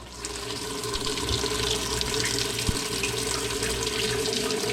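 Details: Used top-load washer on the normal cycle, hot selected, testing the inlet valves: steady rushing hiss with no chatter, hum or hammering. Hot valve fills normally; pressure switch later found bad, overfilling.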